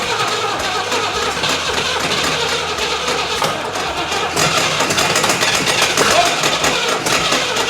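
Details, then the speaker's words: 1980/81 Camaro Z/28 4-speed V8 with HEI distributor cranks better after the distributor was turned clockwise from too-advanced, but runs sputtery and poppy with uneven stumbling and misses; timing is probably still off, and the engine may just be tired. "Timing still might be off. It's sounding pretty sputtery, poppy, and farty. Wow. I mean, it sounds promising. It's cranking a lot better."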